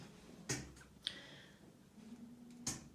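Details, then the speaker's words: Milling lab shaking machine just switched on: three sharp, irregular pops over a low hum from the small over-pressure valve venting pressurized air, which is normal. "you'll hear small popping sound that's just because the machine has pressurized air and it's just a little over pressure valve that's perfectly normal"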